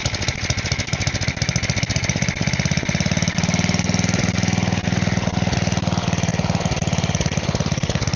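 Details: Side-shaft small engine for a go-kart, running on a 2x4 with air filter off and smoking: fast, even single-cylinder beat with a steady exhaust note; seems to run fine.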